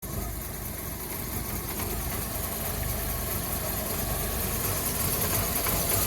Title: VW Fox 1.4 rough idle